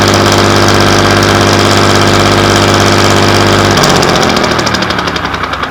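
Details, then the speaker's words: Class 117 DMU 51412 diesel, first start in 5 years after bleeding fuel air via the hand lift pump: steady, even clatter at low idle of about 500 rpm, then the beat slows and fades as it runs down; healthy. "They're both idling. >> Okay. Now, what the idling at? >> They're idling at about 500."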